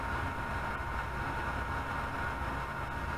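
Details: Anycubic Chiron 3D printer after the PSU fan was replaced and fans were run at 100%: soft, steady whir with a faint constant tone and no rattle or buzz in a quiet room; fans healthy.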